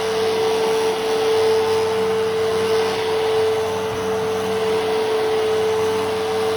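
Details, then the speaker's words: A vacuum picking up paper shreds: a steady high motor whine with a constant dry clattering from the brush roll area, cause unknown. "Also, the brush roll rattle is really loud. So if you have headphones, I would say you should probably turn down your volume."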